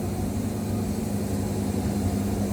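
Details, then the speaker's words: Wood-Mizer LT70 Super sawmill with 747 Turbo blade cutting hickory at increased feed speed: steady even motor drone holding speed through the cut with no bogging. "I'm not even getting motor bog it that fast right there"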